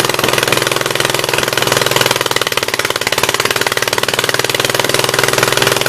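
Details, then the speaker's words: 1976 Gravely 816 tractor engine, running: uneven, lumpy running with irregular pulses and a ragged exhaust note, missing on one cylinder; owner suspects a stuck-open exhaust valve. "I'm almost 100% sure that the exhaust valve on this side is stuck open, so it would be nice if it would just tink and go in, but I doubt it."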